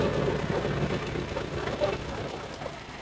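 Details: Suzuki Vitara petrol engine, returning misfire case involving injector fuel delivery, after repair: steady, even idle hum with no knocks or misses; smooth, healthy run.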